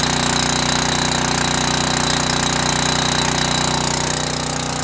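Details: Generac 5000 W portable generator, cold start on full choke, automatic throttle, governor holds warm-up rpm before 3600 rpm (60 Hz) run speed: loud, steady, even firing with no misses or knocks; smooth warm-up run.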